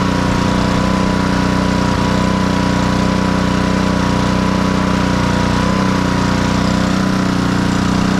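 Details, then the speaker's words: Black Max pressure washer with a Honda GCV160 engine, repaired from a crank-no-start: steady, even drone at constant speed with no hunting or misses, running normally. "as you can see the pressure washer is fully operational"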